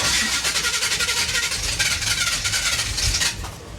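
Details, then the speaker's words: 1977 Chevy Monte Carlo, off the road for decades: uneven, labouring cranking that stumbles and fades without catching; distributor was turned clockwise, retarding timing instead of advancing (advance is counterclockwise), making starting worse. "okay that sounds like it is not getting better it sounds like it's getting worse"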